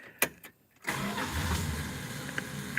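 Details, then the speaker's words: Car on a hot, humid day: two pumps of the gas pedal, a short crank, then it fires right up and settles into a steady, even idle. A healthy start. "she wants me to pump the gas two pumps two pump chump that's all she wants guys there see two pumps and she fired right up"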